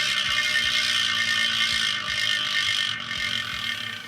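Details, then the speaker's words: New 2025 Elitewheels Drive G36 carbon gravel/road wheelset, rear hub with standard high-engagement ratchet freehub; dry, rapid ratchet buzz as the wheel coasts, even and fading as it slows. Normal freehub clicking. "now, if this sounds like a ratchet hub, that is because it is a ratchet hub."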